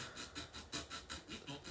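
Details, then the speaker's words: Heathkit AR-15 solid state receiver on FM, right channel: hissy rush swelling and fading about four times a second, same on both channels and on AM and FM; pulsating audio, tuner section fault suspected, not confirmed. "so now i'm on the right channel and as you can hear it still doing that uh that pulsating sound"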